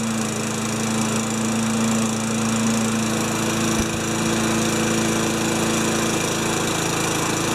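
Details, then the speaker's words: Old junkyard 5HP Tecumseh mower engine, primed into carb throat: steady high drone with uneven rough beat; running poorly, carb bowl suspected, not confirmed. "i guess i work on it i guess i work on it a little more i might take the bowl off just to see how bad the the bowl on the carb is"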